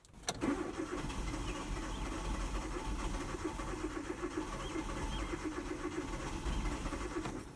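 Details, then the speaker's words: 2009 Hyundai Accent with intermittent long-crank hard start, spark plugs and O2 sensors already replaced, battery and fuel ruled out: starter whirs steadily, engine turns over evenly for several seconds without firing; long crank, no start. "It's not a battery issue either. It just simply doesn't want to fire over. You can feel it kind of rumbling."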